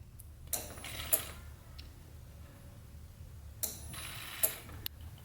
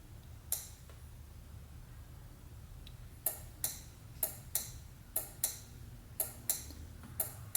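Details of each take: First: LS-swapped Nissan 350Z, fuel pump run via relay triggered by grounding blue/white wire after fitting missing fuse: steady low pump hum with relay click and bursts of fuel rushing through; normal fuel pump operation. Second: LS-swapped Nissan 350Z, fuel pump relay trigger wire grounded with key on: crisp relay clicks in bursts but no pump whirr; fuel pump not running because the fuse was left out.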